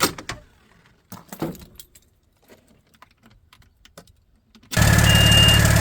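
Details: 1994 Kenworth T600, 12.7 L Detroit Series 60 diesel, after replacing leaking exhaust manifold gaskets and bolts, first start before warm-up re-torque: after some clanking, it fires and settles into a steady, even idle with no exhaust ticking; normal idle.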